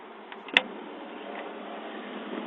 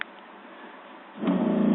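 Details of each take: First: 1985 Fleetwood Pace Arrow V29 RV on household AC, water pump switched on: steady low electric hum holding even pitch as lines pressurise, then stops; pump runs smoothly and normally. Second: 1985 Fleetwood Pace Arrow V29 RV water pump with taps shut: quiet, then the pump briefly kicks on with a steady low hum and shuts off; short cycling shows a leak, traced to the leaking toilet.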